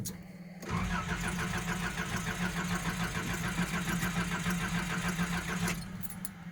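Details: Nissan 720 cold start: about five seconds of steady rapid cranking, roughly three and a half turns a second, without catching; it won't start easily, and the owner thinks it needs a new fuel pump.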